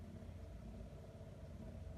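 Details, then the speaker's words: Miele G4500SC slimline dishwasher recovered from a skip, plumbed in, on quick wash: steady low hum with even tone, no knocks or grinding; pump motor running normally, a second motor then starting. "hear a motor pumping I've put some stuff in there that's another motor coming on there now"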